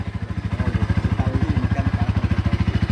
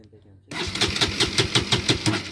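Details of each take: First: Bajaj Pulsar NS200 BS6 brought in with a no-start and fuel injector warning; once the fuel pump ran, it started on the first self-start press, settled to an even idle about three pulses a second and revved freely; normal. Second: Bajaj Pulsar NS200 BS6 motorcycle with a fuel injector warning on the dash, kill switch on: starter cranks in a steady quick chatter, about six pulses a second, but the engine never fires; crank no-start from fuel pump power loss.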